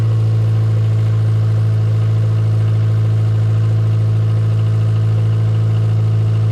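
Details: 1995 Geo Metro idling after water pump and timing belt replacement: low, even drone holding steady with no knocks, ticks or stumbles; smooth, healthy idle.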